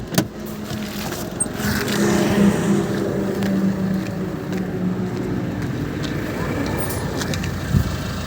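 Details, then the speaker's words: Maruti Suzuki Ertiga Smart Hybrid petrol, after injector servicing for morning smoke, RPM fluctuation and knocking complaints; engine idles smoothly and evenly, steady low hum with no RPM hunting. "अब हम गाड़ी को स्टार्ट करेंगे। आप देख सकते हैं आरपीएम हल नहीं रहा है।"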